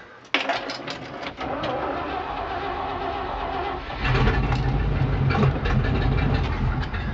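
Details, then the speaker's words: 1968 Chevrolet C-60 farm truck, 327 V8 with 2-barrel carburetor: starter cranks unevenly for a few seconds, then with ether it catches and runs loud and rough through glass packs. Hard start; owner suspects the carburetor loses its prime. "yeah that's why I'm hung out in these little carburetor work the think it loses its prime least it sounds like it but that's uh easily fixed and you go ether mm-hmm now it's right"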